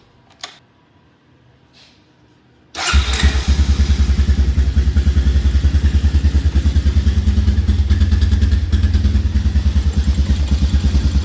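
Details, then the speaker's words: 2000 Honda TRX Recon 250 ATV after replacing the worn-out carburetor with a new OEM unit and rerouting backwards-routed hoses: starts at once and settles into an even, quiet thump about three beats a second, no pinging or knocking; healthy. "Nice and quiet. No pinging, no knocking, nothing. Can't even hear that engine running. It's so quiet. That's a healthy motor right there."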